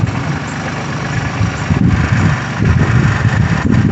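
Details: 2020 Suzuki 250 outboard on a rebuilt center-console boat, first run on the water after the rebuild: steady, even low burble with no knocks or misses; running normally.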